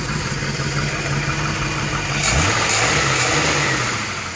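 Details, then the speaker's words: 1949/1950 Ford coupe, chopped, side exhaust with glass packs, after tune-up and carburetor fix: steady idle about 750 rpm, quick clean blip and back without stumbling; healthy idle. "Sarge right up it's idling at about 750 now and it even does burnouts guys"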